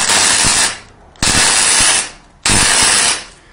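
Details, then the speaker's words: MIG welder with CO2 bottle run out: wire feeds, harsh arc crackle in short bursts but no characteristic gas hiss, welds come out porous; CO2 bottle needs replacing. "идет подача проволоки но нет характерного шипа когда есть углекислота он шипит"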